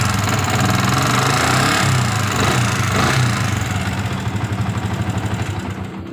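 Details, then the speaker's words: Yamaha Vixion NEW motorcycle brought in for rough noise, started before teardown; engine catches with coarse grinding chatter about three beats a second; possible sources dynamo or starter when electric start used, or one-way starter clutch in magneto; dragging starter motor suspected. "seperti itu kira-kira suaranya jadi ini ada beberapa kemungkinan yang bunyi hai pertama dari dinamo itu sendiri waktu double elektrik itu dinyalain itu juga bisa bunyi"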